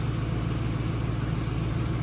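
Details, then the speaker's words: 1998 Mercury Grand Marquis V8 after exhaust leak repair with JB Weld: low, even idle with a steady burble, no puffing or ticking at the manifold; exhaust now sounds sealed and quiet, normal idle. "i mean this thing is on hey but it's quiet as [ __ ] because like see"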